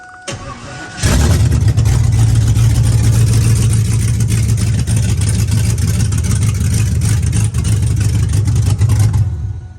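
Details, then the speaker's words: Swapped Z28 after a heat cycle, with the alternator not charging. It fires up easily after a brief crank and settles into a loud, lumpy, loping idle; it definitely has a cam. "so it definitely has a cam in it but anyways"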